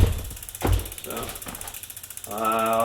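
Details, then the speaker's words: 2020 Schwinn Axum bike build, first pedaling just after the chain master link was set. A rapid, loud, low rattling, ratchet-like grind with each pedal stroke. Something in the drivetrain is grinding, cause unclear; possibly the chain is not engaging all the sprockets. "all right got a good grind as it starts but it moves so that's cool ah it sounds something terrible going through there but it goes through there"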